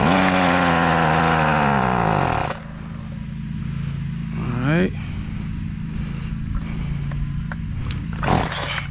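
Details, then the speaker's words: Ryobi RY253SS two-stroke string trimmer after carburetor replacement, started on half choke: screams high and clean, drops to a steady idle, blips once and settles; running normally, though the carb may need slight adjustment. "not too bad for a dumpster weed eater if i do say so myself um as you can tell the carburetor install was a success"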